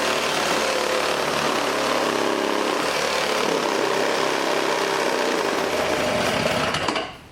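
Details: Old 1980s Toro S-200 two-stroke snowblower, restarted on choke after fitting a quarter-20 locking nut on the recoil side: fast, high, buzzy steady run, rough but even, then cuts out; engine runs normally on choke.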